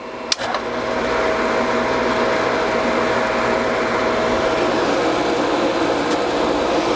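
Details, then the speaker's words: Newly installed Polaris PBSQ pool cleaner booster pump running with the main pump on: smooth even hum, steady mid-pitched tone, no knocks or rattles; quiet, healthy running. "Now I want you guys to be able to hear how quiet this is."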